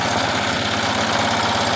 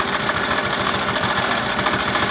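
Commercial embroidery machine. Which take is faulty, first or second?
first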